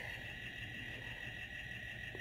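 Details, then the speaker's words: A thin, steady, high squeal at the same pitch, heard continuously all night in a motel room over a quiet hum. The source is not identified. "Well, since we've gotten a little closer, you and I, you're gonna have to hear that squealing that I've been hearing all night."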